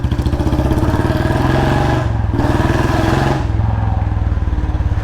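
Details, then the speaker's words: Royal Enfield Bullet Standard 350 single-cylinder, after a new packing gasket: deep, even thump with a steady beat and no ticking or puffing leak; the exhaust is fully sealed. Normal exhaust note. "पूरा seal हो गया यार मुझे अब आवाज इसकी बहुत ज्यादा प्यारी लग रही है यार क्योंकि अब लग रहा है भाई पूरा का पूरा नया बुलेट लेक आ गया हूं थोड़ी भी लीक नहीं है"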